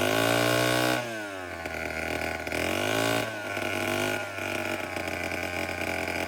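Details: Late-1950s/early-1960s Homelite 7-19 two-stroke chainsaw after carburetor cleaning, still needing a new diaphragm: sharp buzz that revs up and settles into an even idle with clean pickup. Normal running; the fuel tank and fuel line still need fixing.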